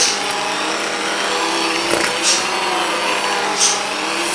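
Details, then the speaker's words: Stock Aldi Ambiano cordless hand mixer (no motor cooling fan, motor getting hot) in thick dough; steady motor whine sags slightly in pitch as beaters drag, motor bogging under load. "as you can hear it's really bogging [Music] down I'm going to add a little bit of water to this because I think it's a little um there's not enough water in [Music] it"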